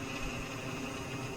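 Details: BMW 3/5-Series original, never-replaced serpentine belt tensioner pulley at about 130,000 miles, spun by hand during belt and tensioner replacement: a steady, gritty crunching whir from the worn internal bearing.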